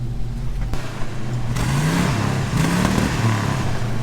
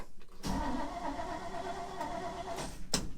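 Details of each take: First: 1950s Chevy 3100 Apache pickup with old carbureted V8, manual clutch, started on choke and driving; blips up and down with a lumpy, loose burble and terrible smell, running very rich, carburetor to be leaned out. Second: Cold start of a Chevy 3100 truck with small block Chevy V8 after two pedal pumps, clutch in and choke out (fuel pump leaks): short crank, catches quickly and settles to a steady rumble; starts pretty good, healthy cold start.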